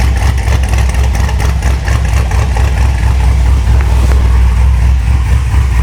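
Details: V8 with regular port injectors, about 76,000 miles, reportedly tuned by others: deep choppy idle with uneven loping beat that doesn't settle, not tuned right; later found running rich.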